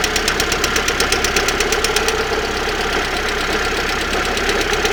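Fast uneven ticking knock, roughly three per second, riding over a hissy idle; something knocking near the exhaust side, cause unclear.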